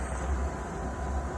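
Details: RV furnace after clearing dirt dauber debris that kept it from lighting; steady low roar from blower and burner, no ticking, surging or misfire; flame lit and hot air coming out, furnace running normally after fix.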